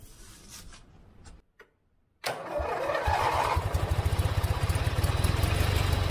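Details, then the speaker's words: Forgotten riding lawn mower revived after freeing a seized engine with vinegar: starter churns a steady rapid chug about four beats a second but the engine never catches; almost starting, plugs to be checked. "it almost started does that kind of start i don't think so yet it started to kind of start it was almost there"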